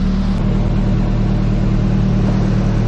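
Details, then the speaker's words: A 1994 Nissan Hardbody engine that ran completely out of oil on the roadside is warmed to operating temperature; it gives a deep, steady drone with no knocking or ticking, running smooth. "Let's see what she sounds like. Man, she sounds good, y'all. Think we saved it."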